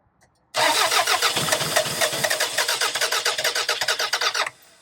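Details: 2002 Toyota Camry that sat over 5 years, its coil pack harness found cut: steady fast cranking with no firing. The coil is not sparking on a new plug, and a different coil will be tried. Cranks, no start.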